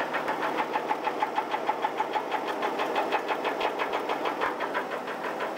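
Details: 1983 Chevrolet S10 4x4 2.8 V6: steady deep knock about three per second over the running engine, keeping the engine's rhythm; rod knock on cylinder #1.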